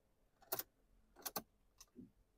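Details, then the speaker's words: 2021 Ford Transit, key turned in neutral: only keys jangling, then silence with no click or cranking; cause found to be a broken ground wire. "nothing no any noise right right now my mind going to the two things it could be very weak battery sometime if it battery low then when you're going to crank it's like a noise we can hear but however this scenario I can't hear any noise"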